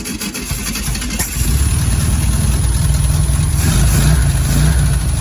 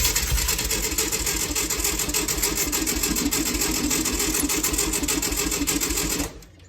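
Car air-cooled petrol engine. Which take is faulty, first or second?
second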